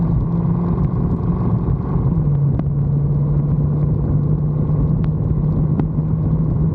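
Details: 1974 Bitter CD (Coupe Diplomat), Chevrolet 327 V8, warmed up, on test drive after HT leads, cracked distributor cap, points and condenser replaced to cure misfire under load: deep steady rumble, no hesitation, popping or stumbling; running smoothly under load.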